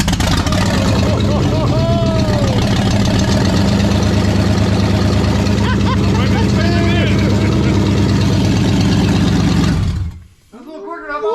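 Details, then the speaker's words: Brand-new engine in a project car, first fire on open headers, timing not yet checked: barely cranks, catches instantly, loud fast lumpy rumble for ten seconds, then cut; normal first start. "Dang. What? Like that scared the shit out of me. Like literally. Yeah. Barely turned over."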